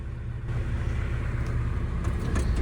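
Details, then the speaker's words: Case CX80 excavator diesel before repair, whose lack of power began a month ago on a cold day: it fires right up and idles with a steady, even low rumble and no knocks, misses or hunting. Power is lost only when the idle is turned up. "So we can crank it up just like normal. I mean, it fires right up. Runs, idles"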